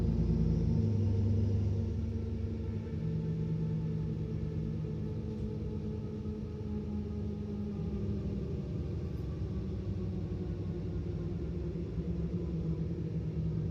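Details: Mercedes Citaro O530 LE bus, OM457 hLA EEV diesel at full kickdown: heavy drone with a thin steady turbo whistle on top; turbo whining louder than normal for this engine.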